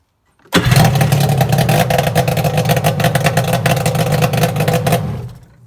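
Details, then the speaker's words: Kawasaki JS550 jet ski after starter swap from a JS440 cured slow cranking: fires straight up, low slightly lumpy two-stroke idle set deliberately low, then dies; runs fine. "So I gotta set the idle is kind of low because I want it to die."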